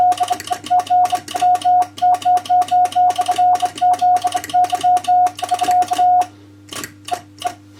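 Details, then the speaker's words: Two-tube RCA 813 MOPA transmitter keyed CW on 40 meters at about 24–25 W: steady mid-pitched tone in crisp dots and dashes with clean starts and stops, no chirp or clicks; keying is clean and acceptable. "So not bad. As I said, the keying is quite acceptable actually on 40."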